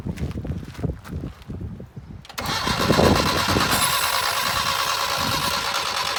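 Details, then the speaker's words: 1978 Datsun 1500 Ute GN620, parked unused for 20 years, refilled with fresh fuel: extended choppy starter cranking into a steady rough churn that never fires, foot flat; unclear whether the mechanical pump draws fuel from the rear tank. "Okay, more. Give it a crank. Right up, Barry. This looks very wet down here. Go again. Foot flat. Go again."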